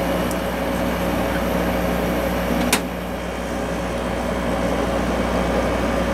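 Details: 6300 BTU Emerson Quiet Kool window air conditioner with Matsushita compressor, on high during an amp-draw test. Steady low compressor hum under an even fan rush, no rattles or cycling. Running smoothly, about 4.95 A and 519 W.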